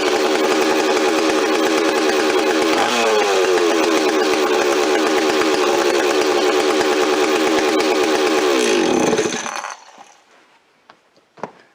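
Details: Rebuilt Stihl 026 two-stroke chainsaw, parts saw restored with aftermarket parts, first run on fresh high-octane fuel, no bar or chain fitted: revs high and steady, dips briefly while the mixture is screwdriver-adjusted, then dies cleanly; healthy normal running.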